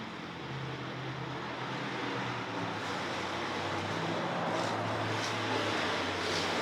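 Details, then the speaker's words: Volvo (V70/S70/S80 type) with over 500,000 km idling at about 400 rpm and barely staying running: uneven low idle with irregular dips, stumbles and sputtering near stalling; owner suspects the electronic throttle module needs cleaning or is failing. "and now she's going to start sputtering now this is basically what your etm look like looks like when it start when it needs to be cleaned or if it's failing"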